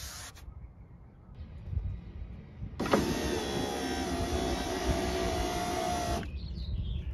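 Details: BMW E30 power window after dielectric grease applied, weather stripping cleaned with silicon spray: motor pulls about three and a half seconds with a smooth, even whine, no binding or grinding; healthy.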